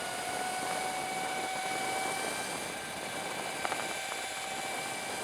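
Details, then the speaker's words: Sur Ron Light Bee fitted with QS165 motor and NXT tuner, street riding under gentle throttle: steady electric motor whine with faint high tones and wind hiss, no cutting out; normal run, though it cuts out under hard throttle. "If you give it time for the motor to spin up, though, it's fine, you know."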